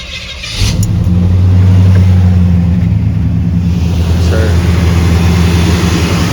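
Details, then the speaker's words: Chevrolet C10 V8 after new exhaust and a coolant hose replaced for a leak, running to bleed air from the cooling system: fires, flares, then settles into a deep, steady, even rumble with no knocks or misfires; healthy idle, air bubbles gone. "Alright guys, she's pretty much at idle now, and it doesn't seem like any more air bubbles are coming out, so I think we're good."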